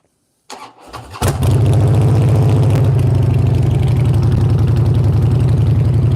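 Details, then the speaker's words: Harley V-twin motorcycle that would not start, second start after installing a new battery, which was the problem: crisp crank catching within a second, then an even, loping idle; normal start and idle. "All right, so the battery was the problem. Let's see if it starts it a second time."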